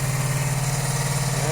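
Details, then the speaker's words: 1982-83 Honda V45 Sabre V4, cold start on full choke after valve adjustment and ultrasonic carb cleaning: lumpy, unevenly pulsing idle running on two cylinders; spark plugs or ignition coils are suspected, and the others join in once warm. "right it did when I did start it it did start on just two cylinders again so I don't know what that is"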